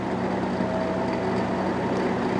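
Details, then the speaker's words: Old rusty box fan, unrestored, on medium speed: a constant rough whirring with a gritty rattle over the fan hum. It is serious bearing noise; the owner suspects the back support is also bent. "Yeah, that's some serious bearing noise. I think this back support is a little bent too, but we'll have to see."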